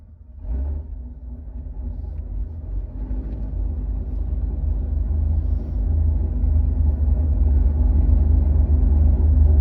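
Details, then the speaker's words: 800 hp Cadillac CTS-V at the drag strip: deep rumbling engine with an uneven pulsing about four times a second, growing louder; a new, unidentified noise and problem. "Obviously, I didn't get as many runs because we ended up with a new sound and a new problem. So I'm gonna play this sound right now."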